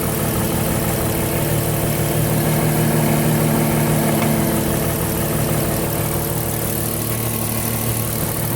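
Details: Porsche Cayenne engine at idle: steady idle with an even pulse about three times a second and a faint mid-pitch whine on top; source unexplained.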